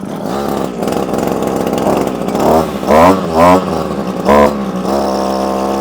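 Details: Early-1980s Komatsu Zenoah two-stroke trimmer that would not start, now primed until fuel flows, started on choke, then run off choke: it buzzes along, and a few throttle blips pick up cleanly. It runs properly.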